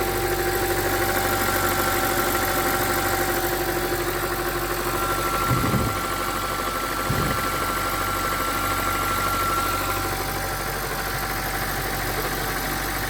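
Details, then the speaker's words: BMW 325i after oil filter housing and oil cooler gasket repair plus a new auxiliary belt kit, tensioner and idler pulley: the earlier horrible noise is gone, leaving a smooth idle with only a light injector tick; belt drive healthy. "as you can hear the horrible noise has disappeared there only minor on the injectors but everything else seems to be fine"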